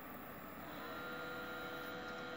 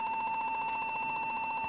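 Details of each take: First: Desktop PC that beeped and wouldn't boot after being bumped hard, after removing a loose memory stick: steady fan and drive whir with faint clicks and no beeps; boots into Windows normally. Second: PC tower bumped hard, powered on with back cover off: high, steady motherboard beep with a fast flutter, no boot; fixed by cleaning the memory.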